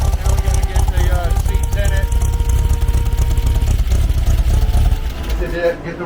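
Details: 1970 Trophy Car dune buggy, freshly built 1776cc air-cooled VW flat-four: deep, steady thrum with an even beat and no knocks or rattles, running normally.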